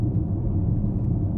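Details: Porsche Macan driving home just collected from the dealer after service work including new front and rear brake pads: smooth low drone, no tapping or ticking off throttle; the tapping noise the dealer blamed on direct injection is completely gone.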